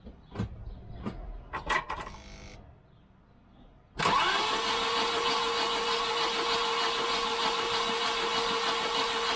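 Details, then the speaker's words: 1989 Volvo 740 wagon with a B230 engine that won't start, head gasket done in 2019. During a compression test, after a few knocks the starter whirrs fast, light and even with no firing pulses; one cylinder reads only about 5 to 10 psi. "i know it's gonna be zero i can hear it yeah you can hear there's no compression"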